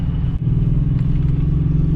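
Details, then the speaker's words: 2006 Nissan 350Z: deep, lumpy burbling exhaust under load, stumbling with about half power; scan showed cylinder 2 misfire, suspected coil pack. "It sounds like it has like an extreme burble to it, so I don't want to push it too hard. I don't know, it's probably coil packs, honestly."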